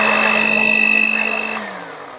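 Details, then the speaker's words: Philips blender whose speed buttons failed, with only speed 5 working before: after the motor was repaired, it gives a smooth, even high whir at steady pitch and winds down cleanly as speeds 1 and 2 are tested, running normally. "Setelah kita benahi dinamonya, kita tes kembali. Dan kita tes. Nomor 1 berputar, nomor 2"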